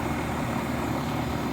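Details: 35-year-old AC condenser fan after the squeaking motor bearings were lubricated and the coil cleaned: steady, even rush of air with no squeak or chirp. Healthy condenser fan running smoothly, as quiet as it has ever been.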